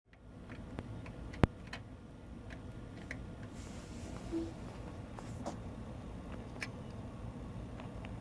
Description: Clicking sound in external hard drive and was not detecting by computer. In this case hard drive was not getting enough power to spin.